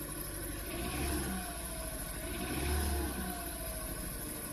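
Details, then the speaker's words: 2013 Hyundai Elantra 1.8L I4 idling rough with lumpy misfire after new plugs and coil packs swapped (3-4 into 1-2); P0301 cylinder 1 still misfiring, cylinder 2 fixed by plug; suspected fuel injector. "the engine's running rough it's misfiring we have P0301 cylinder 1 is misfiring but cylinder 2 isn't misfiring"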